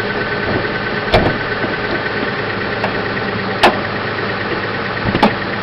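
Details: 2004 Kia Sedona van, newly installed 3.5 V6 engine, about 131,000 miles, automatic: engine idles smoothly and evenly with a few separate handling clunks over the top; no knock or tick, sounds healthy.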